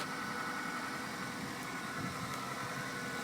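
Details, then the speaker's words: Car started via newly installed Viper 4103 remote starter: even, steady idle with no knocks, misses or surges after remote start; normal idle. "So we're gonna press the remote. One time. Okay. Sound like it start."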